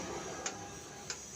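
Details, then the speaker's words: Royal Enfield Classic 350: sharp, isolated "kat kat" clicks from the front end when the handlebar is turned left and right. Shocker and T bolts have already been tightened; mudguard and wheel bolts are to be checked next. "एक cut cut आवाज़ कर रहा है।"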